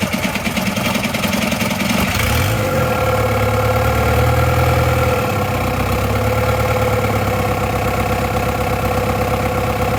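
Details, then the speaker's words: ALH 1.9 TDI diesel swapped into an Audi A4, after the injectors were bled and the timing, off by two teeth, was corrected: catches after a brief crank and settles into a steady, even diesel clatter with no misses or knocks. It sounds healthy. "I'm just so happy this thing runs so I want to fire it up once more just for a good measure"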